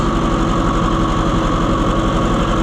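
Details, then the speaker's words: Oliver 550 tractor on a won't-run service call, idling while each plug wire is pulled in turn: steady, slightly lumpy idle with a low uneven beat; number 2 is likely the dead cylinder. "try to pull off each wire one at a time and see which one doesn't make any difference. Off. That one makes a difference. That one makes a difference."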